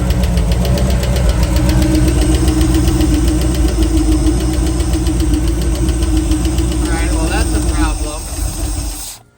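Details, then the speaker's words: 1949 Chevrolet 3100 with a used 350 small-block Chevy and rebuilt Holley carb, first start during 20-minute break-in, no exhaust yet: steady idle with a hard tap about four per second. Owner hopes it's the oil pan hitting, fears rod knock. "It's still hitting the oil pan. At least that's what I'm telling myself. I'm telling myself that it's the oil pan. I really hope it's the oil pan."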